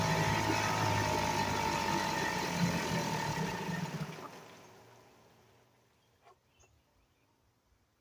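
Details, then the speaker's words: 1975 Sears Gamefisher two-stroke outboard after carburetor repair, in a water test barrel: buzzes unevenly then dies to silence; runs but needs carburetor adjustment. "YouTube I can see that if that runs runs but it's gonna need some adjusting and such on it"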